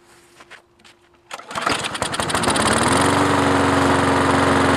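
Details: Murray 20-inch lawn mower, 4.75 hp Briggs & Stratton, hydrolocked from overfilled oil, cylinder emptied and running smoky to burn off the oil: a few pulls, catches, stumbles briefly, then a steady even buzz at constant pitch; running properly.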